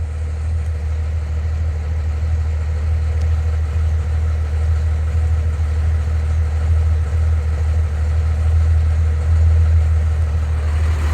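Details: 1993 Dodge D250 12-valve Cummins diesel idling: deep rumble with uneven, lumpy beat from a misfire; injectors, lift pump and fuel shutoff solenoid replaced, valves adjusted, compression 400 psi on all six; owner suspects the injection pump.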